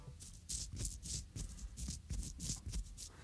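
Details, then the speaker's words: Mountain bike suspension pivot bearing, worn, turned by hand beside the microphone and compared with a new bearing: gritty, uneven grinding in bursts. Pitted surfaces inside mean the balls drag on the shells, so it is a worn pivot bearing. "what you're hearing there is in fact pitted surfaces on the inside it's all grinding around and the actual bearings are actually been dragging on the inside of this shells of that"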